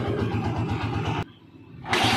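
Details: Single-cylinder motorcycle after a valve clearance adjustment, fixing misfiring, stalling and hard starting from tight valves following a recent tune-up; steady, even thump at idle with no valve tapping. Healthy idle.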